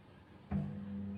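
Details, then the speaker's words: Single-tub washing machine after a fix for no-spin fault: halfway through the motor kicks in with a thump, settling into a smooth steady hum as the tub wall spins with the pulsator, sounding very different from before; normal spin. "Nah itu sudah sama tabung pinggirnya yang berputar Nah itu beda kan suaranya beda sama yang tadi sangat beda sekali"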